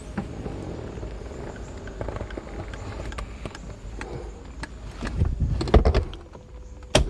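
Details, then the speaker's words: Mercedes 300SL R129 after roof control module repair, tested on the car: low motor drone with clunks as the top cycles and latches, window relays clicking, windows closing automatically. Normal convertible roof operation. "that's automatic shut down okay perfectly fine roof operation"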